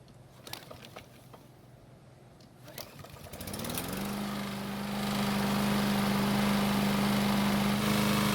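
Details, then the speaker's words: Free walk-behind lawn mower engine started with flywheel brake bypassed by zip tie for testing: after a couple of pulls it settles into a fast, steady drone, running faster than normal and sounding tired. "So, it took a couple of pulls to start it, which isn't too bad. And although it sounded okay, you can tell the engine is a bit tired."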